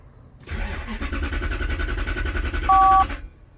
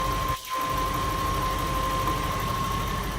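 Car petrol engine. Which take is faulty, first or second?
first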